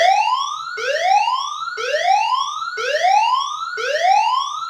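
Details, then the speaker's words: Notifier NFS2-3030/NCA-2 with DVC after fixing audio library incompatible trouble and reinitializing: clean rising whoop sweeps about once a second, even and strong, both speaker circuits lit; alarm audio working normally. "So to confirm that, I will play a message. Doesn't matter what, I'll just press CO. As you can hear, it works. Both speaker circuits are lit up."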